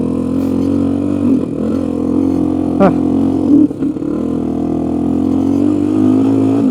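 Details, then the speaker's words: Honda 350X three-wheeler on a spring test ride, ran fine last year, clutch not disengaging; low droning note that sags and stumbles instead of picking up, engine bogging, choke tried at half, can't exceed about quarter throttle. "She's a little boggy. Let's try uh choking it halfway."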